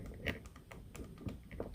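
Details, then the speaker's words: Harley-Davidson Twin Cam top end, engine stopped: light, irregular metallic clicks as a rocker arm with play on its bolt is rocked by hand, on the side without rocker lockers installed; the locker sleeve eliminates the rattle. "You still hear that rattle. So clearly rocker lockers are going to eliminate that."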